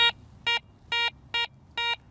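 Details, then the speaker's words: Garrett 300 metal detector air test on aluminum foil: five clean mid-pitched beeps about half a second apart, target ID in the high 30s; normal mid-tone response. "High 30s, more of a mid-tone."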